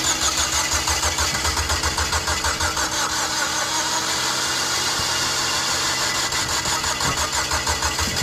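The starter churns the engine with even beats, about three a second, but it never catches or fires; timing is out, so no start.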